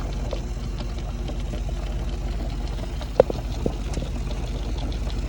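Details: 06-11 Honda Civic with a built R18 engine at idle: faint gurgling and bubbling with coolant smell and smoke as the extremely hot engine overheats; the cause was later found to be a stuck-closed thermostat.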